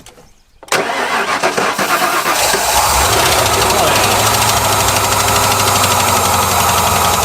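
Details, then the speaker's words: 1993 Ford F150 first start after 14 years: cranks, catches, runs rough with fast light ticking; assumed to fade with oil pressure, possibly exhaust leaks; source unconfirmed. "We're going to ignore all the ticking. That will go away with oil pressure, I'm sure. It sounded like exhaust leaks to me."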